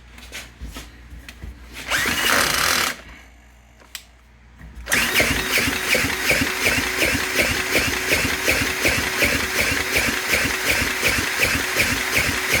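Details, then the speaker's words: Briggs & Stratton fire pump engine that sat underwater, with water found inside, spun by drill: even chug about 2.5 times a second, consistent compression, likely flooded; spark intermittent from suspected bad wire; normal cranking compression. "Got compression. Let's see if there's spark now. I can smell the gas. Probably flooded the heck out of it."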